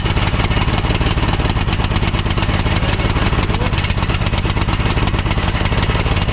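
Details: 2006 Troy-Bilt Pony lawn tractor after carburetor replacement for flooding and new BK5ECU plug, seemingly rich on full choke; loud uneven lumpy single-cylinder chugging even with idle screw adjusted; rough running, owner suspects the new carburetor is bad.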